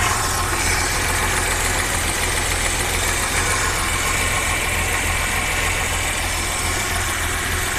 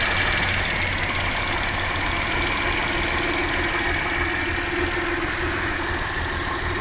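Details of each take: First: Audi 100 C4 2.8 petrol V6 with LPG (4th gen), freshly rebuilt and still in break-in, idling badly, stalling and lacking power; uneven stumbling thrum, rough idle with misfire; high-voltage plug leads found arcing. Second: Audi 100 C4 2.8 petrol V6, said to have a freshly rebuilt engine, previously misfiring and stalling; after repair: an even, settled idle with a steady pulse of about four per second, no misfire, extraneous noises gone, and no gases in the coolant.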